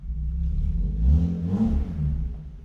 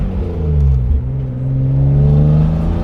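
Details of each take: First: BMW E36 M3 with clogged factory muffler cut out: deep, raspy exhaust booming as the engine is revved, much louder than stock; muffler delete, power restored. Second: 1995 BMW E36 M3, naturally aspirated, hard acceleration: engine pitch climbs smoothly and strongly through each gear with clean upshifts and no stumble or flat spot, pulling healthily to high revs; the car pulls strong, normal acceleration.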